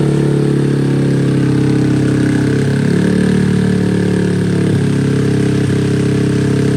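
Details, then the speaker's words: Honda Grom SF fitted with an original Grom engine swap, on a cold start: steady, fast, busy idle that never settles back down with the throttle closed. High idle; cold-start issues are suspected. "idle's not going down not going down what did we screw up there"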